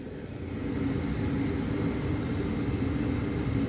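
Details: 80% furnace after a new inducer motor was fitted, replacing one badly out of balance with part of its blower wheel missing: a steady, even motor hum with low rumble, no rattle or knocking.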